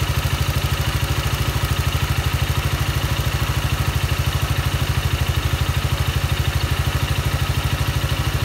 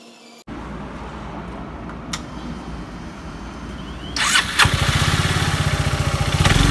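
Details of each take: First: Yamaha Maxam (Magzam) scooter engine at idle: steady thump about three times a second with a dry clatter riding over it; abnormal engine noise, cause unclear. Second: Yamaha Maxam (Magzam) scooter, investigated for abnormal engine noise: brief starter whir, engine catches and settles into an even putter at idle with no obvious knocking.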